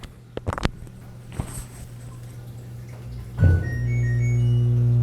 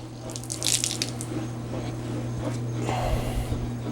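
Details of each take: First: LG WT1101CW direct-drive washer at power-on: a few clicks then a steady low motor hum that never stops, drain motor running constantly from a bad component on the control board (stuck relay), replaced with an OMIH-SH-112LM relay. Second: LG WT1101CW direct-drive washer, after replacing the control board relay whose sticking contacts kept the drain motor running: low steady hum under splashing and gurgling as the last water drains during spin; normal drain pump run that stops when it should.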